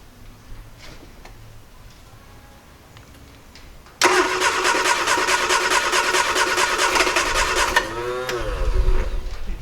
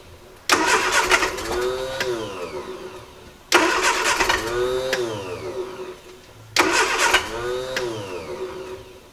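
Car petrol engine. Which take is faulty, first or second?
first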